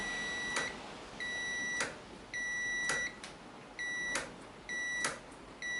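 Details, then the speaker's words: BSA B25 Starfire: a test buzzer wired to the brake light switch sounds with each front brake lever pull after the front end rebuild. The switch closes properly but needs a fair bit of force. "It takes a fair bit of force before it comes on."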